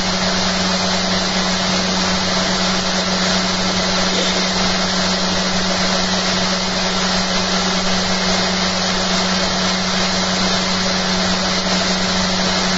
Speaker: Much quieter. This thing's got a soft starter on it, you have to press the power button to get it to really go. I tell you what, it's so bloody quiet I can hear the motor now. I couldn't hear the motor before. I can hear the commutator on that as the motor's driving it.